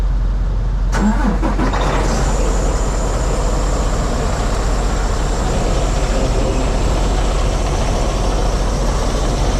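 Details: Truck diesel jump started for a no-start, batteries down to about 11.3 V, probably something left on: brief crank, then it catches and settles into a steady even diesel idle with no knocks or misses; normal.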